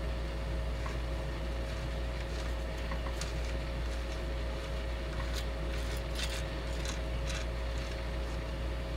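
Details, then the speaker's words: Kriesler Australasia 11-81 valve radio on dim bulb tester and variac, about 140 V in: irregular crackles and pops over a steady low hum while warming on reduced voltage; static crackle, cause not yet found. "oh now here's static i already hear static"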